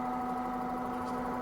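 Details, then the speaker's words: 10-coil rotary magneto-type pulse charger charging a 1600Ah battery bank at about 10 A draw, trigger at about 20% of current: steady buzzing hum with fine fast snapping, normal ticking of the coils and trigger coil. "Can you hear that little ticking sound? That's the snapping of these coils. The trigger coil itself is making the snap sound."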